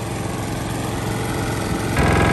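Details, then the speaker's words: Single-cylinder lawn mower engine previously run low on oil and knocking, after rebuild, at turned-down rpm: steady, even putter with no audible knocking, though knock may still be masked; sounds healthy. "so there we have it I can't hear audible knocking standing next to the mower and I suppose in that respect it's a huge Improvement because beforehand it was as clear as day that knocking was you can't really not hear it"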